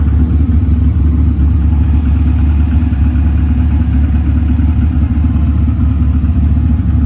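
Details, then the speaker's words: TVR Cerbera 4.2 V8 idling: loud steady whoosh as both radiator fans come on over a deep, even V8 idle rumble; normal fan operation, nothing abnormal. "Just hear the fans come on. They're very loud, as is everything. There you go, that's both of them."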